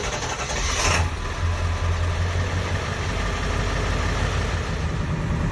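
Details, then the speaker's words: Ford 7.3 Powerstroke diesel, cold start unplugged after installing injector shims kit: catches quickly and settles into a steady, even low rumble with no misses; cold start problem fixed, smooth running. "so this thing is running like a champ right now so smooth I'll tell you what it doesn't only help the fixed start it is running amazing"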